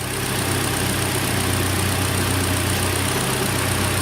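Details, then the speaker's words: 2013 Hyundai Elantra, AC recharged, engine idling with compressor engaged and fan running: steady even low hum, no ticks, knocks or surging; instant really cold air, hot side hot, cold side cold, system working normally. "Instant really cold air. Hot side getting hot, cold side is cold."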